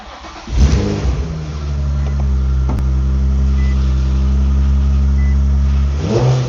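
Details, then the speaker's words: Infiniti G35 drift car with VQ V6 engine, started up to show it. Engine catches, then holds a strong, even, deep drone with quick clean revs and no knocks or rattles. Owner says it sounds nice and revs fast: healthy engine. "Man, this thing here, it sounds nice. It rev fast."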